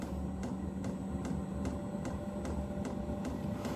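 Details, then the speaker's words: Newly installed diesel heater at start-up, supply about 11.2–11.9 volts: steady fan whir under a crisp fuel-pump tick roughly every 0.4 seconds as it fires up and winds up; lighting and running normally. "Now, she going to start kicking up a little quicker. She's here firing up now. Winding up."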